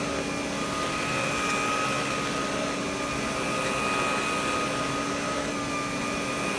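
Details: Vintage Electrolux vacuum power nozzle after fitting a brand-new brush roll: steady motor whine with a constant tone and slight remaining vibration; sounds better, running smoothly now.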